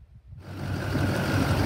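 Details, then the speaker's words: Normal running of a 2001 6.6L Duramax diesel in a two-wheel-drive truck after replacing the thermostats: a deep, even rumble that builds smoothly with no knocks or misses. After hard pulls it stays below 210 degrees. "Don't that sound sweet? Maybe, but so far seems to be working."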